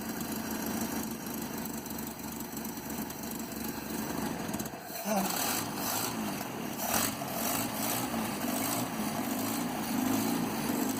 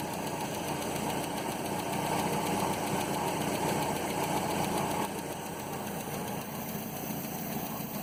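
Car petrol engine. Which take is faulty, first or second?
second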